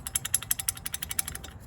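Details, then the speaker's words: Idler pulley from a 2017 Nissan Frontier at 87,000 miles, removed and spun by hand. It gives sharp, regular ticks about six per second that fade as it slows. This worn idler pulley bearing was the cause of the front-end ticking noise and was replaced. "the one thing i will tell you is this went on as is you know but that was definitely my ticket noise that thing's definitely bad"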